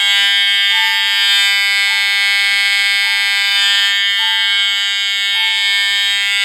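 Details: EST fire alarm system test (pre-Integrity panel with chime): continuous loud horn blare with a softer chime pulsing about once a second, still audible over all horn strobes; normal horn and chime operation.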